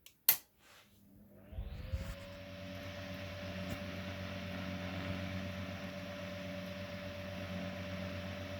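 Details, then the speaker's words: Restored 1920s GE 8-inch stationary desk fan, bearing worn enough that a screw holds it so the rotor won't touch the stator. Soft tick, then the motor spins up with a rising whine and settles into a quiet, even hum, the typical GE whine. Runs healthy. "fairly quiet. It's got that cool GE whine sound"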